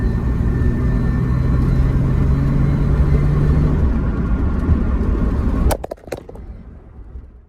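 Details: 1995 Nissan 300ZX Z32 after automatic-to-manual transmission swap, back from its first test drive. Deep, steady engine rumble holding even, then switched off with soft clunks. Ran well and shifted through all 5 gears fine. Normal running.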